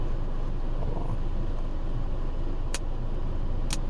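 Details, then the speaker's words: 2021 Acura TLX, in the cabin while driving: two sharp sudden pops through steady road rumble, an intermittent crackle from the stereo speakers that is happening more often, cause not yet known. "you hear that the pop pop pop pop and it's annoying it comes in and out but recently it been um doing more frequently"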